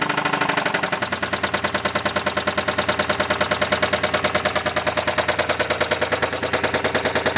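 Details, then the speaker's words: 2007 Chrysler Sebring 2.7L V6, replacement long block about 60,000 miles (car about 129,000), oil changed every 3,000 miles and never ran low; sharp, even knock about three per second over idle; one opinion says lower pan, owner thinks top of engine; lost power uphill. "now Griz mer auto has told me it's coming from the lower pan to me it sounds like it's coming from the top of the engine"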